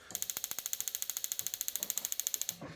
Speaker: So when you depress this, you can hear the igniter start clicking, and it sounds like a click like on a gas grill.